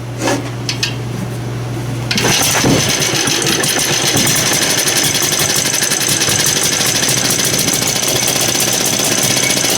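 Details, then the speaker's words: Small engine, possibly flooded, spark confirmed: catches after a couple of seconds and runs with a ragged, uneven chatter instead of a smooth beat; rough running, dirt in the carburetor suspected. "sounds like it's got some dirt in the carburetor"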